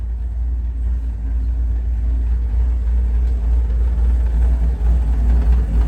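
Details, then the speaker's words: Big-block Chevy 467 V8 on the dyno, warmed up after carburetor screw adjustment, throttle blips show crisp response; deep, lumpy rumble swells cleanly with no knocks or misses, a healthy engine. "t better uh throttle response than doing it here and just show you how crisp this engine is I mean it's like real throttle response and really really nice"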